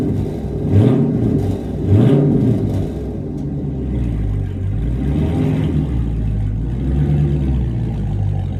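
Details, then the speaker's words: Active exhaust with deleted mufflers, about 3,000 miles: after greasing the squealing active exhaust flow valves with white lithium grease, deep rumble with two quick blips then settling; squeal gone, exhaust sounds clean. "all right so take my word for it the noise coming from the valves the squealing noise is now gone there is no more noise so all I gotta say is it did work"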